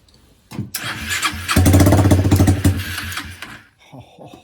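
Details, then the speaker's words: 2001 Kawasaki Eliminator 125 with a new CDI and partially installed carburetor, started with starter fluid for the first time in years: sputters, then a harsh, raw rapid popping. It is very loud because no muffler is fitted. "that is loud it is very loud and it's because we don't have a muffler on it at this time"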